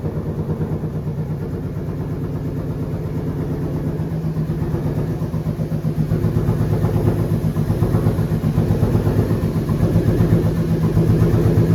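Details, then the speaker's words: 2013 Ford Boss 302 supercharged build at first start: lumpy, uneven idle with a rapid ticking puff over the rumble; it sounds like an exhaust leak somewhere, suspected but not located. A fitting is also leaking and coolant is low. "but the big problem is one it kind of sounds like it has an exhaust leak somewhere"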